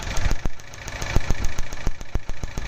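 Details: Geo Tracker engine shaking at idle: uneven, lumpy idle with irregular sharp pops as a cylinder drops out; a spark leak from an ignition cable is suspected and the cable was tested. Ignition misfire suspected, not confirmed.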